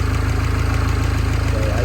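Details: Mini Cooper S R56 after timing chain replacement: steady, even idle with a smooth low pulse and no rattle or chain slap at startup; healthy.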